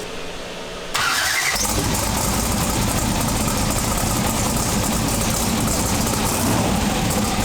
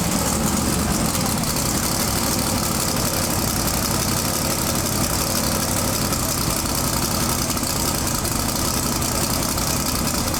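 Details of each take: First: Twin-turbo big-block V8 pro mod drag car with a Turbo 400 transmission, running again after about 3 years. It catches after a short crank and settles into a strong, steady, lopey idle with no misses or knocks. Normal idle. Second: Twin-turbo big-block V8 pro mod drag car with a new Turbo 400 transmission, at first fire-up after about 2.5–3 years. A loud, busy, steady idle sits well above normal. High idle, throttle believed to be on its stop and needing adjustment.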